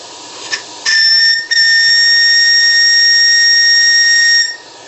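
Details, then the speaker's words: Steam whistle on the Maximae launch's live-steam RC boiler, table test at 3 bar working pressure: a short chirp, then a clean, steady high whistle held about three seconds. Sounds properly; the whistle works superbly. "sifflet marche formidablement à une pression de service de 3 bars."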